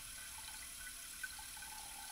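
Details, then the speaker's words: Toilet tank with faint steady hiss of water running continuously; likely seal or float not adjusted correctly, letting water drain when it shouldn't. "usually when you hear water running from your toilet it's because the seal or your float haven't been adjusted correctly and your water is draining when it shouldn't"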